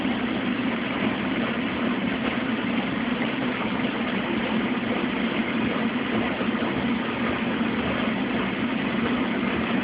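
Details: Mueller Special Brazilian washer, duvet on quick cycle, 60°C wash, first rinse after no spin between rinses, very high water level: steady low churning and even water sloshing, no knocks or grinding; normal rinse agitation.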